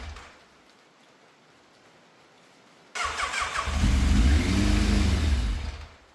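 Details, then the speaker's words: Fire-damaged Yamaha FZ750, 41,000 miles, first start after fuel filter, airbox and carbs refitted: cranks briefly, catches, revs unevenly two seconds, dies; frayed choke cable not pulling fully, then came off; right carbs leaking fuel; hard starting. "The choke has literally just come off in my hand. I mean, I always knew that cable was a bit frayed, and obviously it wasn't pulling properly all the way, but with that off, very much going to struggle to start this."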